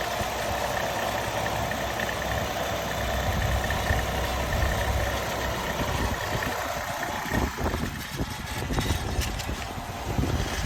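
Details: 2015 Nissan Altima 2.5 SV, 75K miles, recently bought from a dealership: the idling engine carries a light rattle and a faint steady whine that vary slightly; cause unidentified.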